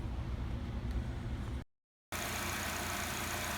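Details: 2008 Pontiac G6 2.4L Ecotec, after fixing intermittent P1682 ignition circuit code caused by a loose, spread relay socket (relay replaced): after a brief dropout the engine settles into a steady, even idle with no misses or stumbles; running normally.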